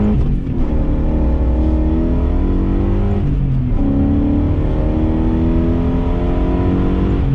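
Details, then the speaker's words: BMW E34 540i, M60B40 V8, after fixing throttle body gasket vacuum leak causing lambda codes and limp mode: full-throttle run to 80 spinning first and second, pitch climbing and dropping at shifts, no hesitation; healthy acceleration. "And that's 80. And that was spinning first and second. You can't hear it because the roads are kind of salty, but this thing absolutely rips now."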